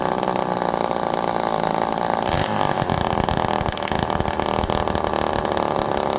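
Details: Homelite Super Mini reed-valve two-stroke chainsaw, jets about 1.25 turns out, being tuned in half-turn steps: revs quickly to high speed and hangs without returning to idle; air leak suspected, fuel pouring from muffler.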